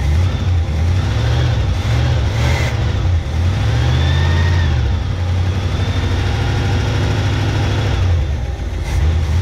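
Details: 1971 Chevy K10 4x4 pickup, small-block 350 V8, restarted after sitting about 10 years, choke on: deep, lumpy idle sitting low with a faint wobble; carburetor gasket dry-rotted and leaking; owner suspects the old gas causes the low rough idle.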